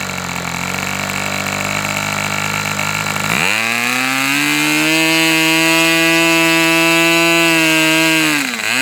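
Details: Fox twin-cylinder model engine, throttle stop screw turned half a turn for lower rpm: high buzz dips sharply then settles to idle near 3600 rpm, occasionally stumbling as one cylinder drops out and pops back with throttle; low-speed needle to go two notches.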